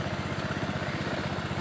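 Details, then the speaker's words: Honda Beat eSP scooter engine idling at a set 1600 rpm, checked with a J-Diag M100 Pro scanner that reads injector 2.3, in normal range: steady, even putter with regular firing pulses and no misses or knocks; idles smoothly. "Kalau idle kalau bisa di atas 1500 itu lebih aman."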